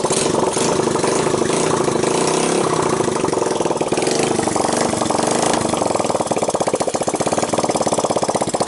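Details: 1985 Honda ATC 200X junkyard three-wheeler after a cold start on starting fluid, left to run itself out of gas, camera on the tire. Settles into an even single-cylinder beat with no valve, timing chain or bottom-end noise. Normal running.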